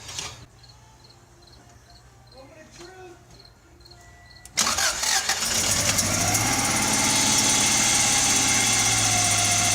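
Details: Subaru Legacy turbo after refitting the up-pipe and downpipe to fix an exhaust leak: engine starts and idles with a raspy, hissing exhaust note, no smoke; leak suspected still present, fix held only briefly.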